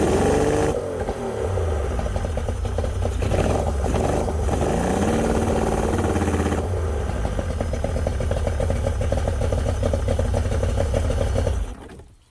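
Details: Yamaha 90hp two-stroke outboard, unrun for a couple months, runs with an uneven, stumbling beat that lurches as revs change; number 2 (middle) cylinder won't fire despite carbs cleaned twice and plugs and coils swapped; reed valves next.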